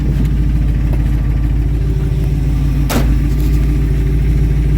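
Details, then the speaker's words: 1968 Ford F100 V8 running again after sitting 5 years, with an electric fuel pump and a mangled exhaust to be fixed in spring. Steady, deep idle with an even low burble and no knocks or misses; the engine runs healthy despite the loud exhaust. "So it does sound pretty good for the kind of mangled up exhaust system that I have currently right now, but I do plan on getting that fixed up in the spring."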